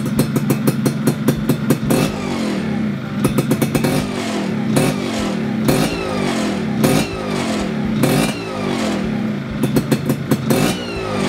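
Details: Yamaha F1ZR two-stroke after reinstalling the reed valve whose leaking petals were sanded flat and reset: crisp blips rise and fall sharply in quick bursts, then a steadier buzz; revs freely and returns cleanly.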